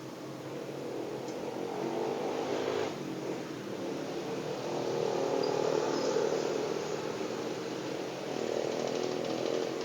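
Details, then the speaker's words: Vacuum pump evacuating a refrigerator system with hoses attached, before the freon charge: a steady buzzing drone with a faint pulsing flutter. The pump is running normally under load. "Ya tentu ini vakum ini saya lagi vakum bunyinya ini sudah pasang selang"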